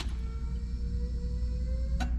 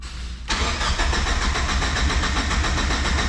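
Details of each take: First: Turbocharged Miata fitted with 1000cc injectors, key-on prime to check the injectors for leaks: a steady low electric hum with a faint whine for about two seconds, then a click; the fuel pump and injectors prime normally. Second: Turbocharged Miata fitted with 1000cc injectors, no base map loaded (the stock computer would not work): the starter churns in an even, rapid rhythm for several seconds but the engine never catches; cranks, no start.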